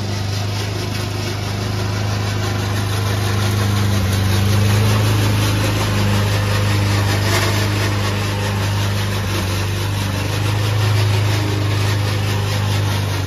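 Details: Old Toro Recycler mower cutting Kentucky bluegrass, binaural recording: a steady engine drone with a fast, rough rattling chatter from the drive system, not the engine. The noise was later solved with WD40.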